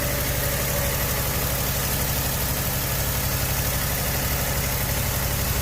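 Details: 2017 Ford F250 6.2L gas V8 after replacing spark plugs, coil packs and plug wires, first start: deep, steady idle with even firing pulse, no misses or stumbles; running smooth and healthy.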